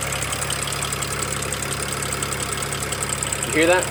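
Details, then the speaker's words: BMW 335i at idle, started from inside, charging malfunction warning shown: quick, even light ticking keeping time with engine speed; owner suspects a worsening misfire, source unidentified. "okay that ticking started and it's freaking me out so I just wanted to send you that video okay um I don't know what it is but it is not nice"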